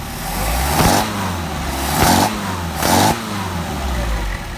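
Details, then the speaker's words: Mercedes 190SL with Solex carburetors, synced: three sharp throttle blips rise and fall cleanly with no pop back through the carbs, showing the idle mixture is not lean. "Make sure it doesn't pop. If it pops back, that means we're lean and we need to uh adjust our idle mixture screw a little bit."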